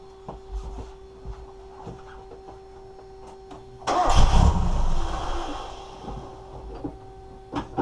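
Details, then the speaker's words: NA Mazda Miata, before adjusting the airflow meter spring tension: a faint, uneven idle, then a throttle blip that flares and sags back instead of revving cleanly. It runs poorly from a maladjusted airflow meter. "so as of right now I haven't done that yet the car still just runs like crap and here I'll even give a demonstration"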